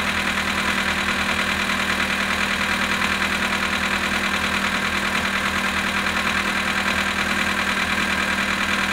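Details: VW Polo sedan at 18,967 on the odometer, cold start at -19 °C: freezing idle with a steady tapping knock, about a hundred a minute, on top of the engine hum.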